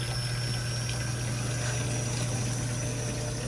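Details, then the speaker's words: Brand-new fuel pump running on the bench as its container fills with fuel until the pump is submerged: a steady, even low whir at one pitch with liquid trickling, no surging or rattle; normal operation. "The fuel pump is pretty much completely submerged in fuel. See, let's shake it so they can see. This fuel pump is doing its job."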